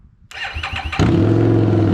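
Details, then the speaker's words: 2017 Harley-Davidson Street XG750 fuel-injected liquid-cooled engine on a test stand, no coolant system hooked up: a few cranking turns, then the twin catches and settles to a steady, even idle with no knocks; starts and runs normally. "I was very happy that we were able to get it to start basically on this test stand here."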